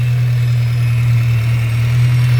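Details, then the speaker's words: VW Scirocco with a rebuilt MK6 Golf engine, cold start on petrol: steady, even low hum with no misses, knocks or ticks; settles into a smooth, healthy cold idle. "Leave it. Let it move your hand. This cold starts like that."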